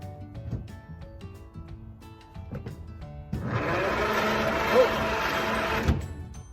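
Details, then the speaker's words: 1927 Stutz AA, not started in over 40 years, cranked via the start pedal with the spark plugs out: steady fast whirring for about 2.5 seconds with no compression pulses, turning over easily; starter works, no rebuild needed. "well it turns over let's do it again it turns over the spark plugs are out that's why it's turning over so easy"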